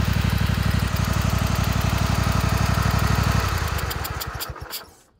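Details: Kohler Command 25 V-twin with blown head gasket on right cylinder: steady idle with rhythmic puffing on every cycle, then shutdown; still runs smooth but burnt plug on that cylinder and power loss.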